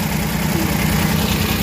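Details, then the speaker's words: Suzuki mini van DA63/DA64 K6A engine, previously vibrating at idle with AC on, after fix: steady even low idle hum with air conditioning on, no shaking or stumble: normal idle with AC on. "io-on ko yung aircon Ha Ah wala siyang ano ah hindi siya n nanginginig"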